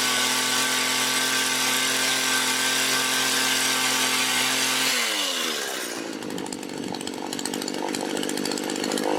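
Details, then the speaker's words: Mac GHT 17 hedge trimmer two-stroke after new fuel lines and carb rebuild: high steady buzz at speed dropping cleanly to quieter idle, no hunting or sputter; runs well, needs no adjustment. "So sweet. All right, that's it. It's done. Runs really good. Doesn't even need adjustment."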